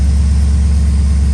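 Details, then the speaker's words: Cold idle of a rebuilt crash-damaged VT Clubsport V8: steady, deep, even rumble with no top-end tapping. The lifter tick heard on the previous start, from a stuck lifter that pumped up as coolant warmed, is gone; normal cold idle. "No dramas this time."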